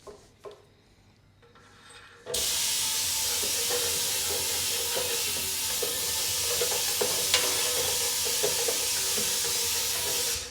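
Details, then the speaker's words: Rare 70-year-old Australian railway section car that sat for years, air being blown through its fuel passage after cleaning: a smooth, steady hiss with no spitting or crackling. Clear fuel passage. "sounds pretty good most times if you do that you can hear you'll either hear it spitting here where it's spitting it out through here or you'll hear it crackling on the other end there"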